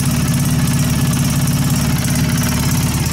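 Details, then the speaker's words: Polaris Sportsman 700 after teardown, engine service and HMF fuel controller installation: low, steady idle, even with no misses, ticks or surging; it runs lower and smoother than before. "It's definitely running lower. Oh, I like her. Sounds a little better now."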